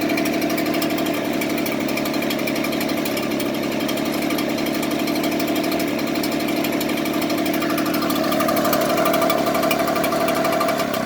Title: Echo blower rough idle.